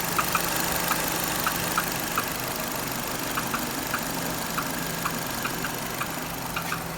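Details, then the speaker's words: 2.0 F4R Renault Duster, 4WD, DP8 automatic, 80,000 km, warm idle after 5–10 km of driving (silent when cold): light, uneven taps about two a second from below, loudest near the wheel, fading with throttle. The owner suspects the flywheel; cause unconfirmed. "сейчас чуть газанул тя нет тоже есть пореже но тоже что-то там постукивает"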